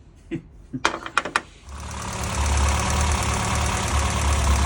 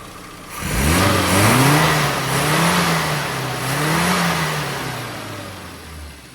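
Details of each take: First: Classic Mini petrol engine after new coil, new plugs gapped at 35 thou and the mixture screw leaned a turn and a quarter (plugs were black, very rich): after a few cranks it settles into a slightly uneven, lumpy idle. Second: Metro with carburetor retuned (AAE needle, extra fuel 2,000–5,000 rpm, thicker dashpot oil): revs rise and fall cleanly and quickly with a crisp, even note, no hesitation or misfire; healthy revving.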